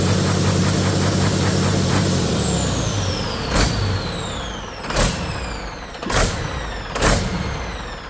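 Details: Detroit 40 series turbo diesel generator engine (rebranded Navistar DT466, possibly DT530), sat outside 5+ years, just started after bleeding injectors, no load, no coolant: speed sags and recovers every second, throttle moving back and forth; governor/pump hunting suspected, no knocking.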